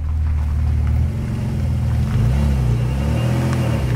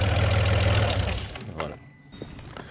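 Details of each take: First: Alfa Romeo 156 GTA 3.2 V6 Busso, revived after over ten years parked, no exhaust fitted, at nominal temperature: deep, even rumble, steady idle with no knocks or misses; holding its temperature while stationary, healthy. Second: Alfa Romeo 156 GTA, 3.2 V6 Busso, revived after sitting over ten years: runs briefly with an uneven, lumpy beat, then dies within about 1.5 seconds once the airflow meter is connected; the meter is judged dead, causing the stall.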